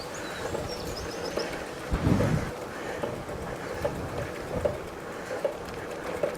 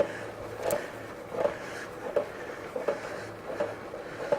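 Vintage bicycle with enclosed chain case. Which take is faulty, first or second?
second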